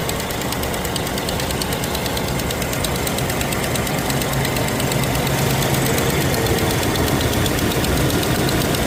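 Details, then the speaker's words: Car with exhaust leak loud when cold that goes away when hot: loud idle with fast uneven ticking puffing from one side at the front; exhaust manifold gasket leak or cracked manifold, not yet confirmed. "Still hearing this side right here. Look like exhaust manifold gasket or it's cracked. We don't know. So, definitely there's a problem with it."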